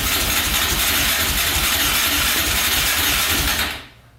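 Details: 2004 Yamaha Raptor 660 quad, rough condition, fresh oil, gas poured down the carburetor, choke pulled by hand: starter spins about 3.5 s with a steady whir, never catches; no-start.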